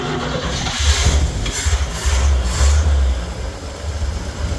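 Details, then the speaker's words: Newly bought van with a loose alternator belt, restarted in neutral: engine catches after a brief stumble and idles with a steady low rumble, no knocks or misses; idle sounds good. "and it's idle and good."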